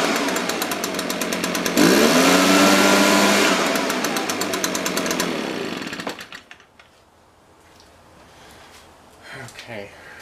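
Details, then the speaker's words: Echo PB-580T leaf blower after carburetor low-speed mixture adjustment, previously rich and smoking: revs up cleanly, holds steady buzz without stumbling, then shut off; healthy. "very happy with that so just a little a little rich it's tightening it up a little bit"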